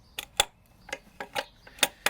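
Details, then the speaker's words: Triumph Stag with gearbox and clutch removed, clutch release actuator arm worked by hand: sharp irregular clicks, about six in two seconds, where it clicks over something. Owner expected smooth movement and is unsure whether a ridge is intentional; cause unconfirmed. "So I'm just playing with the, so we've got the actuator for the cylinder over on the left, and there is a very definite something in the way here, okay, where it clicks over."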